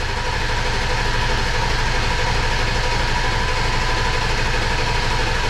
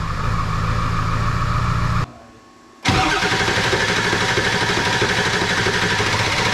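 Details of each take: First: 2002 7.3 Powerstroke diesel, first start attempt after engine install: steady, even cranking, turns over but never catches; no fuel pressure, likely air in the fuel system. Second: 2002 7.3 Powerstroke diesel, tune not yet refined (HP Tuners), glow plugs cycled, about 60°F: short crank, brief pause, then it catches into a rough but steady clatter. A normal cold start.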